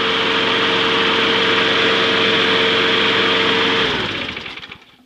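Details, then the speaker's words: Trash-found mower after an oil leak fix, blade refitted, left running: even steady buzz at constant speed for nearly four seconds, then a clean shutdown and wind-down; runs fine, no leaking afterward. "start it up and see how it does we'll just let it sit here and run for a little bit"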